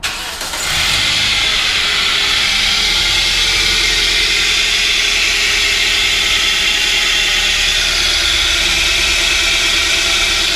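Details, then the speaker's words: 2009 Toyota Corolla S 1.8 idling with a constant scratchy, high-pitched sound from a pulley, no belt squeal; first suspected alternator or idler, found to be a worn water pump pulley bearing; water pump replaced. "You can hear it's that kind of scratchy, high-pitched sound. I'm surprised the belt's not squealing actually. Usually when the pulley's starting to go bad like that, the belt starts squealing too, but that definitely sounds like a bearing gone on a pulley."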